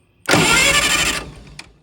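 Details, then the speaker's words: 1960 vintage military generator, switch on, cranked by touching two leads together while checking for spark: about a second of cranking with no firing or catch; turns over but no ignition spark. "So we've got the switch on. We don't have spark."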